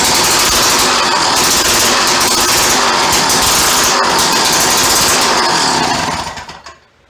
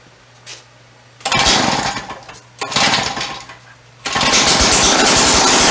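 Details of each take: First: Free yard-sale auger, small single-cylinder engine with broken throttle tang, carburetor not removed: fires and runs with loud fast popping beat for only a few seconds, then dies. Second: Free two-stroke auger started by feeding fuel-oil mix down the carburetor: harsh, raspy, very loud open-sounding bursts that catch and die; the exhaust/muffler seems missing or damaged.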